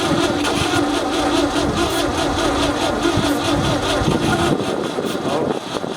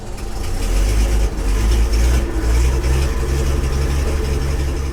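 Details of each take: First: 1966 Ford F500 parked in a barn 20 years: starter churns about two beats a second, engine gives a weak cough but never catches; carburetor seized, no starter fluid on hand; carb later pulled off. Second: 1966 Ford F500, barn-stored 20 years: big engine running with a deep, steady low rumble and only mild unevenness; fires up and keeps running fine.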